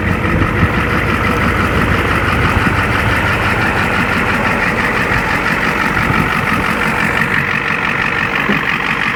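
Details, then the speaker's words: 1-ton 7.3L IDI diesel Ford OBS dually, parked three years after transmission fluid loss, idling up to temperature on first start: steady, even diesel clatter with no stumbling or odd knocks; normal idle. "for not running for quite a while. It sounds just fine."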